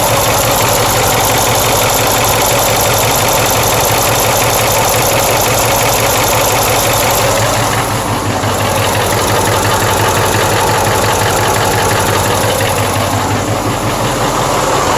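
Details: Freshly rebuilt 6.4 diesel V8 at idle: loud diesel clatter with a steady knock about three per second from the rear driver side, slightly louder after a minute of running; owner fears a bearing or lifter.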